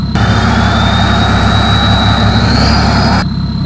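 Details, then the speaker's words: Tuned BMW 535d E60 diesel with full exhaust tubes: a steady high turbo whistle over a low idle that rises a little near the end; the turbo whistle is louder at idle than under acceleration, and sounds normal. "Quand t'accélères, il siffle bien. On entend moins le sifflement du turbo."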